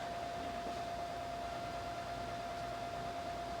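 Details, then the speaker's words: SAM Coupé with SAM Extender and SAM HDMI on first boot: constant hiss and steady mid-pitched whine through the speakers. Owner suspects speaker-cable feedback or the floppy drive; source unconfirmed. "where's the sound coming from it's coming from the speaker so there is some type of feedback going on"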